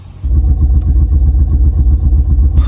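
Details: 2006 Honda Pilot (1st gen) that stalls, just after new spark plugs and coils: low rumble lurching and stumbling with heavy uneven beat; misfire persists, cause unknown, owner suspects clogged intake manifold passageways.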